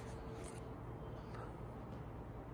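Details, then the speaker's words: Casablanca Four Seasons III ceiling fan in a quiet room: steady low electrical buzz under a soft whoosh of the blades; motor humming, and the owner suspects a bad capacitor. "So that's why I couldn't hear the buzzing that much, but now since it's quiet, I could hear the buzzing more."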